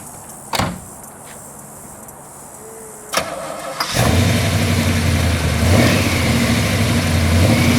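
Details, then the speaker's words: Rebuilt 1971 Chevy Camaro, big block under 100 miles, 650 double pumper carburetor with air cleaner off, 4-speed: a few clicks, then the engine catches at once into a strong, even, deep idle with no misfire; healthy start. "Hop in, start. Take it for a little spin so you can hear it run. I left the air cleaner off so you can see the 650 double pumper."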